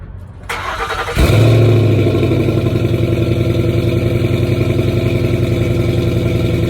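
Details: 2010 Ford Mustang GT cranks, catches and settles into an uneven, loping idle pulsing about three or four times a second; rough idle, owner suspects bad fuel injectors, unconfirmed.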